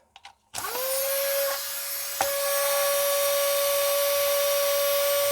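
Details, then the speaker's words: Nail file drill reassembled with its control board: motor jumps straight to a steady high whine at one pitch with no speed control from the dial; fault in the electronics. "you see there's no control over this video [Music] so this is the other side of that there's absolutely no control so there is a problem with the electronics here"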